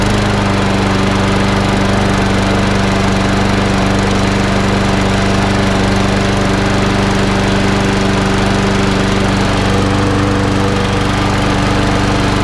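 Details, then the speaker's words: Snapper 21- or 22-inch mower after a partial service (fuel leak fixed, drive and gears lubricated with WD-40): even, steady engine drone with a constant beat and no misses or knocks; runs as it should, needs only cosmetic paint. "So that's all up and running as it should be. Just wants a bit of cosmetic stuff."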